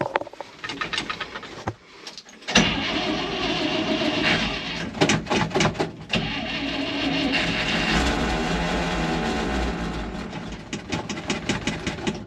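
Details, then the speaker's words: 1964 International 1700 4x4 tow truck, V345 V8, cold start near 60°F: loud clattering from underneath while the engine runs smoothly with oil pressure showing. Owner unsure whether it is bad transmission bearings or straight-cut gears. Drivetrain gear noise. "so I don't know if the transmission's got bad bearings or if it's straight cut gears or what all that noise is but the motor runs phenomenal"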